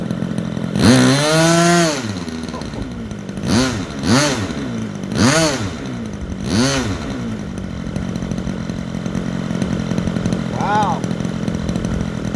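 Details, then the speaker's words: Super Tigre 90 glow engine in a Super Chipmunk RC plane after needle tuning: it snaps from idle to a high scream and back several times, picking up cleanly on each punch of the throttle, a strong, healthy response. "see how the throttle response is just punching it from an idle"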